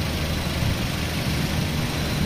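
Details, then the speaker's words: 2010 Toyota Avanza G manual, engine bay with original seals and bolts: even, steady idle with a low hum, crisp and not rising or falling. Normal idle, healthy engine. "Ini suara mesinnya teman-teman bisa dengar sendiri ya, masih garing,"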